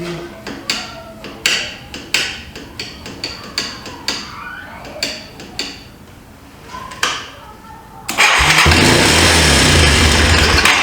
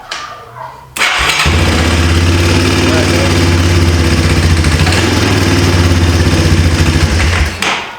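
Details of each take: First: 1995 Yamaha Timberwolf 250 ATV, long sat, after carburetor work, choke on: about a dozen cranking bursts, then fires and races to high revs with no idle; throttle sticking wide open, idle screw possibly turned all the way in. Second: 1995 Yamaha Timberwolf 250 ATV single-cylinder with D8TC platinum plug and original carb top refitted, idle screw barely in: after a second of cranking it catches and settles into a steady, even idle with no misses.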